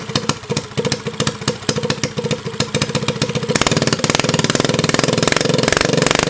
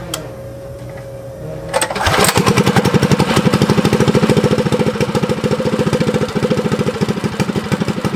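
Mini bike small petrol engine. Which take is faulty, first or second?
first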